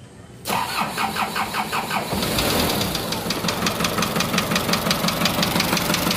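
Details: Isuzu Elf 4HL1 diesel with ECU, previously cranking but not starting, now fixed: the starter whirs briefly, then the engine catches and settles into a steady, even idle clatter. Normal start.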